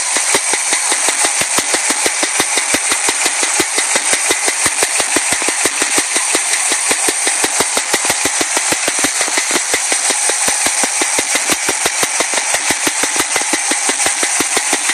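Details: Chevy Nova V8 running after a drive around the block: sharp even ticking about three per second; owner suspects a stuck lifter, unconfirmed.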